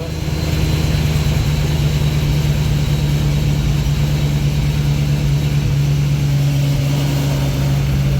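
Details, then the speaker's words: Car running after a new gel battery was installed: smooth, even low idle with no misses, knocks or ticks, steady hum, "purring like a kitten"; owner hopes the battery fixed it; normal idle. "see how she does but she purring like a kitten I hope that fixed it"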